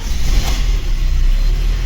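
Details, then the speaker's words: VAZ 21099, first start after cylinder head repair for a misfire from lost compression in cylinder 4, coolant not yet filled, valve lash set to exhaust 0.40 and intake 0.25: steady low, even, quiet idle with no misfire. Normal. "і нічого не троїть іначей не глушилось чути поршеньки ГБЦ в принципі працює тихо"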